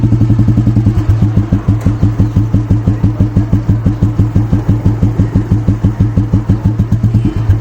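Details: 1985 Royal Enfield Standard 350cc (Electra) Bullet restored to 2020 Classic style: slow, even thump of a big single at about three beats a second, steady with nothing knocking through; healthy idle.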